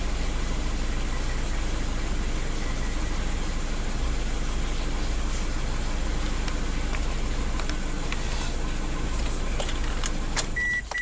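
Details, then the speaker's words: 2003 Toyota with codes P0200 and P0201, loss of power: lumpy, uneven idle with a low irregular stumble about three times a second; misfire from dead cylinder one injector circuit with no injector drive. "the cause of the misfire right it felt like a misfire so what will be my I mean tell me that is injector right"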